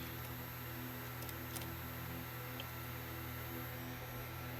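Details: Crosley SCR-284A WWII radio with PE-104 vibrator power supply, bad selenium filament rectifier replaced with silicon bridge: even, unbroken low buzzing hum with no sputter or dropouts, running steadily.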